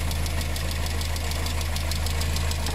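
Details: VW engine with timing chain, bought with engine damage, head gasket failed (known due at 100,000–130,000 km), oil and coolant mixed: steady light ticking about seven a second over low idle drone; lifters clattering on thinned oil.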